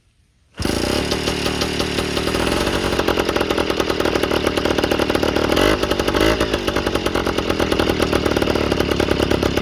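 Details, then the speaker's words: Yamaha Towny two-stroke with aftermarket exhaust just fitted, not fully bolted: revs sharp and raspy with loud crackly popping on each pulse, gases leaking out at the loose exhaust joint; not how it should sound. "Alright, so all of that is leaking out. It's not what it's supposed to sound like."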